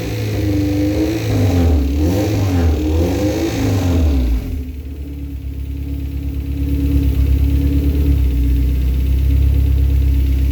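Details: K24 engine with timing chain noise despite a replaced Hybrid-Racing tensioner: revs up and down then settles, light metallic chatter over the running note, rattle up front; cause unconfirmed.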